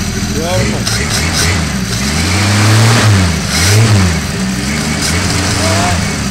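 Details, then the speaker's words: Holden 161 straight-six, head once found like new inside, on a cold start idling smoothly and climbing cleanly through a couple of revs with no knocks or ticks, slightly rich; normal idle and revving. "Too much fuel. Sounds wonderful, doesn't it? Yeah. A lot better than the other one."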